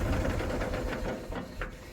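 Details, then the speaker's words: Tractor, engine started in neutral, then shifted into gear: a rapid rasping churn (grinding) that fades as the gear goes in. Stuck clutch plate that won't disengage; forcing it risks gearbox tooth damage. "Cell up लगाने के बाद मैं जैसे gear डाल रहा हूं ना ये घर घर की आवाज आ रही है ये ऐसी आवाज आ रही है"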